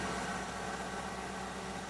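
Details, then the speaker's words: A 2003 Mercury Grand Marquis 4.6L V8 idles steadily with an even low hum after the idle air control valve fix and a cleared code while relearning idle, with no warbling "Wookie Yodel" at idle. "Well, so far, it didn't come back with a yodeling sound."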